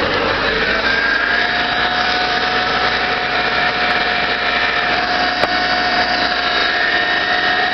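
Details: 1997 Subaru Outback with blown head gasket, running very low on fuel, hence hard cranking: engine holds a steady run with a thin whine and an uneven buzzy note, no clean rhythm; rough running, cause not pinned down.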